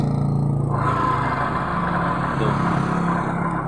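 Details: Honda Vario 125 scooter, rear wheel spun: loud rough whirring with a rattly edge from the CVT, caused by a worn pulley bearing that was replaced.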